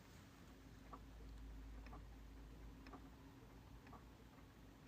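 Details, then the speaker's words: Musical clock with a largely non-ticking movement, in a very quiet room: faint light ticks about once a second over soft background hiss; normal, nearly silent. "and you can kind of hear it but it's really quiet but like if I come across the room over here to one of these gear ones for example very quiet"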